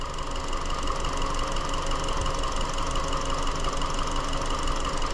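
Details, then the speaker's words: 2017 Hyundai Elantra 2.0L GDI non-turbo, intermittent P0303 cylinder 3 misfire, caught acting up at idle: uneven, stumbling idle with dull irregular chuffs; dead misfire, coil triggering being checked with a scope. "I'm so excited this thing's actually acting up it's a dead misfire too"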